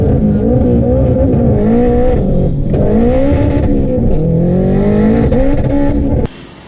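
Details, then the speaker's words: Honda AWD wagon, same engine running on three cylinders with low compression on cylinder two, accelerating under load: wavering revs, uneven note and brief power dips. First-gear or 4000 rpm sputter, cause not pinned down. "i was talking about putting his car back on a dyno and figure out my first gear sputter issue or 4000 rpm sputter issue"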